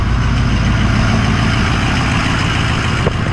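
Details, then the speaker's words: Diesel truck, slightly warm from a recent drive, idling in cold weather; loud, gruff idle with steady low clatter around three and a half beats a second, louder than a Duramax; rough-sounding but normal. "the engine on these trucks are a little loud not quite as loud as the 7-3 power strips compared to like the Duramax and stuff they are quite a bit louder underneath"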